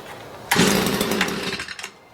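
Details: Stihl MM56/MM65 tiller two-stroke, bought used, worsening over three years: bursts into raspy high-revving buzz, sags and dies within about 1.5 seconds; runs only on choke, carburetor or spark arrester suspected.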